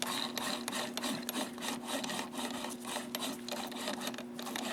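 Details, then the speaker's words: Zeiss SL-120/130 slit lamp joystick elevation after a small spray of white lithium grease in one spot: soft, dry rubbing strokes about three per second with no harsh squeak or grind. The mechanism is now much quieter. "Yeah, that's much better. So just that one little spot, and that little amount of spraying the white lithium grease in there quieted that joystick up."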